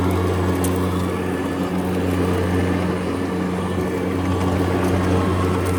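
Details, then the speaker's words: EGO Power+ T6 TR4204 42-inch 56V electric riding mower at highest speed, blades engaged at highest setting while driving: even vacuum-like whoosh with steady constant low hum masking the drive motor; blades spinning normally. "You know, when the blades are engaged, it sounds like a high-powered vacuum cleaner, and you can't even hear the engine when the blades are going."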